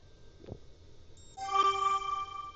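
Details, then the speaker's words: Xtra Atto dashcam turning on: soft rising electronic chime settling into a held multi-note chord for about a second, likened to a spaceship; normal startup tone. "Almost sounds like you're on a spaceship."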